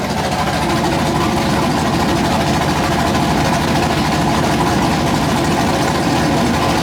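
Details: Freshly built 408 LS stroker V8, first start on base tune, air-fuel around 13.3 possibly slightly lean: steady even idle with deep lumpy rumble, no knocks or misses; normal idle after first start.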